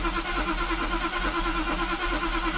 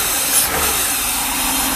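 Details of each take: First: Mercedes with rebuilt fuel distributor (three cylinders previously got no fuel, diaphragm replaced) reinstalled: starter churns, engine catches briefly and dies; won't run because mixture not yet adjusted after rebuild. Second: Mercedes V8 with its fuel distributor just repaired (glue scrubbed out, main diaphragm replaced; three of eight cylinders had received no fuel) idles steady and even under heavy rain, no misses or hunting; runs really nice.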